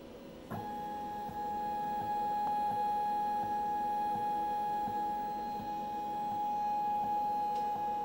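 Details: Bulkman3d QueenBee CNC stepper motor: steady high hum with a faint rhythmic click repeating about every 0.7 s; persists with DM542 and stock drivers, swapped and new motors, grounding checked; owner suspects Mach3 config or faulty controller, cause unknown.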